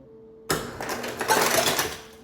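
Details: Maytag fridge after replacing dispenser switch (water previously kept flowing after glass removed): faint hum, then ice dispenser kicks on with about two seconds of ice clattering down; normal ice dispensing after repair.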